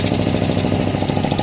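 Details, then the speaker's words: Flea-market air compressor at full pressure after its plastic feed lines were replaced with homemade solid copper lines: fast, steady, even chugging with no hiss of escaping air. Nothing leaks and the pipe gets hot; normal running. "This is the compressor at full pressure. Nothing's leaking. Pipe gets hot."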